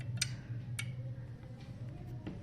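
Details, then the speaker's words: Electric iron's bimetallic strip thermostat heating: sharp single clicks over a low hum as the strip lifts off, disconnecting and reconnecting the circuit; normal thermostat clicking. "so when it heats up it starts to lift off and you can hear the clicking sound so this comes when the circuit is uh disconnected or connected back"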